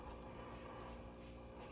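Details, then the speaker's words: 2000 Jeep Wrangler TJ Rough Country short-arm flex joint, removed and turned by hand before rebuild, possibly ungreased: dry, rough rasping grind, not smooth, suggesting a worn flex joint; not confirmed. "And you can hear this it little grinding. I probably could have greased it, but"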